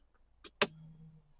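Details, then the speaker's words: Audi A3 after rear brake job, ignition on, brake pedal pressed to return electric parking brake motors to position; a couple of clicks then a short half-second motor hum as calipers wind back; normal reset. "putting the brake pedal and hopefully you can hear the motors going back into the position."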